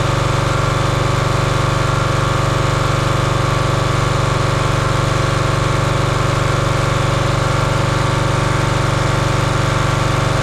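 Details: Champion 27-ton log splitter's 224cc engine, stored outside over a year, running after the hydraulic fluid leak fitting was tightened. Steady, even drone with a regular beat of about two per second, no misses or knocks. Healthy, smooth running.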